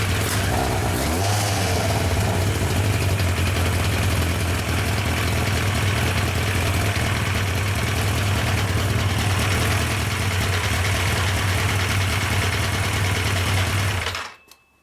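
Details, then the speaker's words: Yamaha FJ 1200 café racer four-cylinder, final start-up before carburettor sync: steady drone with throttle held, then dies abruptly after fourteen seconds; idle won't hold unless the fuel pump is running, carb settings still way off. "donc le réglage c'est pas du tout bon par contre je me suis rendu compte que il fallait bien que la pompe sont en route sans ça sans ça le ralenti tenait pas"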